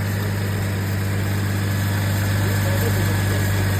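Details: 2008 GMC Envoy idling right after an alternator replacement; the old alternator's bearing may have caused the earlier noise: steady smooth low hum with no squeal, knock or growl; normal idle.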